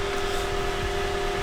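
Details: Lexus GX 460 V8 after fixing cylinder 2 misfire caused by oil in the spark plug well from a cracked spark plug seal, with new OEM plugs and coils: smooth, steady idle for about five minutes, no stumble, no check engine light.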